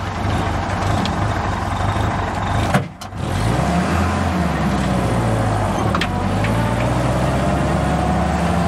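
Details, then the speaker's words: Jeep with freshly rebuilt and calibrated original Carter WO carburetor just installed: low uneven idle that sags and nearly dies, then recovers; idle speed slightly too low, otherwise running well. "Sounds like I might have to bring the idle up just a hair. Otherwise, it is running pretty good."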